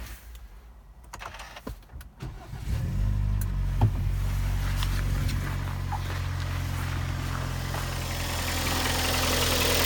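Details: Kia Sportage 2012, G4KD engine: on cold start the idle settles with a fast, regular ticking chatter over the engine hum, new this week; owner suspects cylinder scoring, not confirmed.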